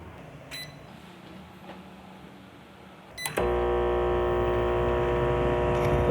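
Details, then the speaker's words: Microwave turns on without blowing the fuse but does not heat; a loud, steady hum comes from the transformer, caused by a damaged high-voltage diode, which was then replaced. "you can hear, there is a loud hum in the Transformer, But it doesn't heat... It doesn't burn the fuse either... That failure is due to the microwave diode being damaged!"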